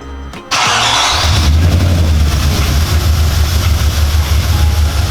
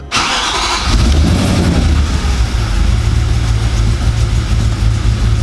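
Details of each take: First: Audi S4 4.2 V8, restarted after work meant to cure its timing-chain rattle on startup: brief crank, catches and settles into a lumpy, throbbing idle with no chain rattle; owner suspects a misfire, maybe running on seven cylinders. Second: Audi S4 4.2 V8 first start after about two years, some vacuum lines bridged: catches instantly and settles into a deep idle with a lumpy pulse; rough idle, owner suspects vacuum leaks.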